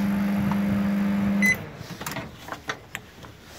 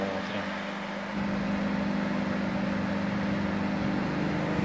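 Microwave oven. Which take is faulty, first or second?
first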